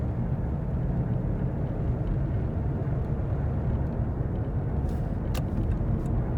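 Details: Worn hub bearing heard from a tyre while cruising, recorded from the passenger side: a steady low droning rumble under road noise with no knocks or squeal, heard as gogogo, rururu, won-won, gorogoro.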